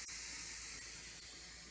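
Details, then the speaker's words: Instant Pot water test, valve set to venting; steady even hiss of steam easing off with no sputter or whistle, normal pressure release that can take up to 5 minutes before the red float valve drops. "Sometimes it takes up to 5 minutes to release all the pressure in the pot, just depending on how full it is and some other factors."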